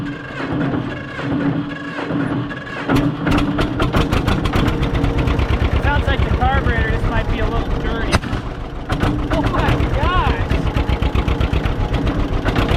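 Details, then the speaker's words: John Deere 630 two-cylinder tractor, first start after sitting in a barn. Lumpy putt with one sharp, gunshot-like bang, then steady firing resumes. A backfire; the owner notes a dirty carb and a ticking from a manifold exhaust leak. "Although, we did just get a 12 gauge gunshot sound, which is kind of cool."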